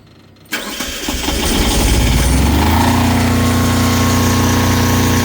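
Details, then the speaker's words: Kubota GL 7000 generator after governor adjustment, three full turns, to lower speed from about 63.75 Hz: cranks and catches, climbs smoothly and settles into a steady, even drone; holding about 60 Hz, correct speed. "so that looks pretty good you can see that we're right in that 60 UH 60 htz range"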